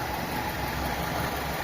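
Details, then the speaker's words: Mitsubishi Lancer, 4G15 or 4G13 engine, after repair of the A/C grinding noise: smooth even idle with soft steady hum and no metal-grinding noise; now very quiet. "So wala na yung maingay na parang nang gumigiling ng bakal mga boss. Ayan tahimik na tahimik na."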